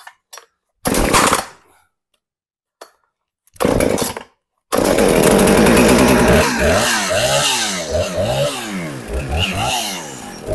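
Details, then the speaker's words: Husqvarna 455 Rancher chainsaw that sat unused for a couple of years, plug cleaned, primer pushed, choke out giving fast idle, decompression button in: a few pulls, then it catches and holds a high steady choke idle with brief revs. "Push the primer bulb, pull the choke out. When you pull the choke out, it automatically puts down a fast idle."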